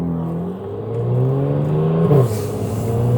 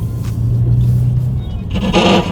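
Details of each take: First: BMW F80 M3 driving through a neighborhood spot where the tires always rubbed before the fix: engine pulls smoothly through turns with no scraping or rubbing; tire rub fixed. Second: BMW F80 M3 (S55) on new Fortune Auto coilovers and 20-inch wheels, driving slowly: low road rumble with a rough scraping rasp coming and going; tire rubbing on fender.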